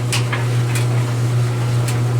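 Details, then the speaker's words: Dryer running normally after fix for buzzing/humming no-start: steady even low hum with faint light clicks; hardened lint ball pressing against blower wheel was cleaned out. "there we go easy fix just had to remove all this lint pressing against that the blade"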